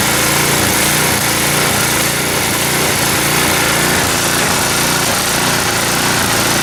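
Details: Neglected snowblower, small single-cylinder engine of about five to five-and-a-half horsepower, run after filling the oil: buzzy, steady speed with no misses, knocks or hunting; running healthily.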